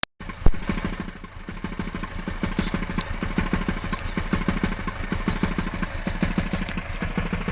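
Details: Hyundai ix35 at idle: low steady idle with a fast, slightly uneven light ticking clatter on top; engine noise, cause not determined.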